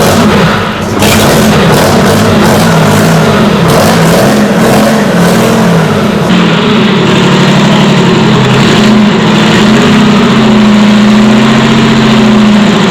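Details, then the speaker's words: Detroit Diesel 6-71 two-stroke on first start, rack controlled by hand: screams at high, unsteady, surging revs; overspeed because the governor had broken up inside. "it was at this point that i discovered that the governor had broken up inside"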